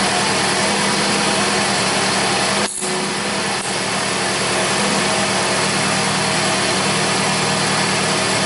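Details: 2004 Toyota RAV4 2AZ-FE, first run after stripped head bolt Time-Sert repair and coolant refill: steady even idle with constant hum, no knocks, misses or hunting, nothing leaking. Normal idle.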